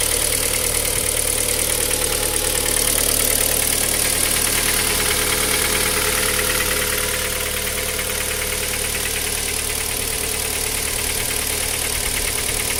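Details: Cold engine at idle: regular sharp knock about three times a second over the engine hum, steady throughout; knock on cold start, source unknown.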